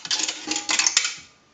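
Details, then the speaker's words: 233G three-slot payphone during checkout after repair: quarter deposited clatters through the chute, then a single short metallic gong sounds as it should; normal quarter coin signal. "We'll use a quarter first. That will gong."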